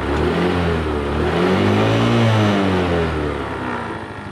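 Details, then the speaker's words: Hero Maestro scooter after repair of a broken roller that had caused handle vibration and some clutch damage: engine rises and falls smoothly through a rev with an even tone, no vibration, shudder or rattle; healthy. "जो maestro हमने ripped की थी वहीं और अभी यह vibrate नहीं कर रही है और इसका साउंड भी बहुत अच्छा है"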